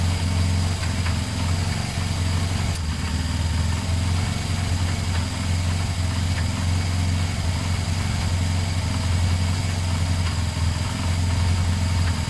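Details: Motorcycle started after a detached second battery earth wire was refitted: a steady, even low thrum with a regular beat and no misses or knocks, a normal idle.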